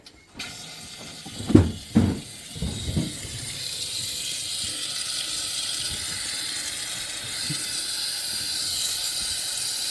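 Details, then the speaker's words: 6.0L Powerstroke diesel, valve cover off, high-pressure oil system pressure-tested through the oil rails: after a few knocks a steady sharp hiss of oil and air escaping, traced to a cracked high-pressure oil standpipe, top half nearly broken through. "It sounds like the bottom of the standpipe right here. Right there. See the oil and air moving there."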